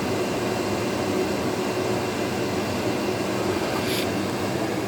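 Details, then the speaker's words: Vintage KitchenAid (by Hobart) dehumidifier, model KDH20, 4.6 amps, made in USA, year unknown, hose draining to pipe: steady even fan whoosh over a low compressor hum, no rattles or knocks; normal running. "It seems to work really well. I've actually noticed, since this has been running,"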